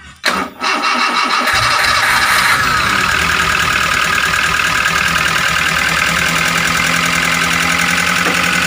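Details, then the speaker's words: Daihatsu Gran Max 1.3 at idle right after starting: rough, busy tapping chatter from the top end. Valve tapping from loose valve clearance. "seperti itu suaranya Hai demos Bro suara saat mesin hidup itu kasar seperti ini makanya kita akan membongkar untuk melihat apakah dari piston dari metal atau dari klep yang bunyi"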